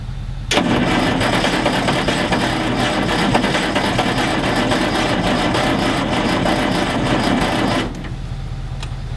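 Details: Galion T500 motor grader diesel, sat 14+ years, cranking on ether after working on an electrical connection: long uneven churning with a few near-catches but never runs; a hydraulic line blew under pressure and water was found.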